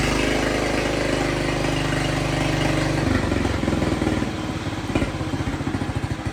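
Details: Jacobsen Chief 1200 tractor, cast-iron Kohler 301 single, after sitting about 3 years; aftermarket Chinese carburetor adjusted. Putters at a steady, even beat, then settles lower without stumbling or missing. No smoke; normal idle, runs well.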